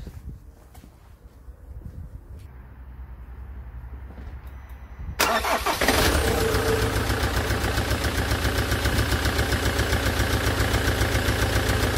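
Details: Land Rover Defender Puma 2.4 TDCi diesel, first start after rebuild with new oil pump and wiring loom: cranks and catches, then idles with a fast even tick over the clatter, hydraulic tappets not yet full of oil; quiet after 45 minutes idling.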